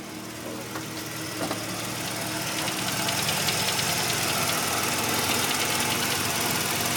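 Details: 1985 Mazda RX-7 rotary idling warm with a steady light knock at about three taps a second over a hissy running sound. It only appears once warmed up; the owner hopes it is a pulley, and the cause is unconfirmed.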